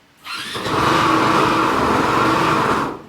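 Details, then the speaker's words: SYM Husky 150 scooter at 32,000 mileage: the engine holds a loud, hollow droning roar like a submarine with a steady midrange tone over it; abnormal noise, source not yet found. "Bunyi apa mak dah husky ni? Macam kapal selam. Teruk bunyi dia."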